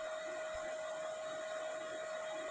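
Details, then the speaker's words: Cooling fan of an MMA/MIG inverter welder starting immediately at switch-on after a no-power repair, with a steady airy rush and constant mid-pitched tone, no rattle; auxiliary supply now getting 320 V; fan running normally. "when I turn it on this time the fan works immediately"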